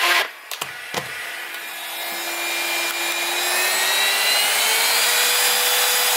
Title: Dibea C17 Portable Vacuum Cleaner rattling noise